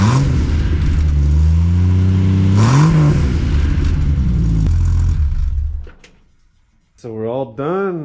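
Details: Jeep ZJ after a tune-up with new plugs, wires, distributor cap, rotor, alternator and belt, plus a replaced transmission; the ignition coil is still the old one. Cranks, catches and settles into a steady, even idle with no misses or ticking.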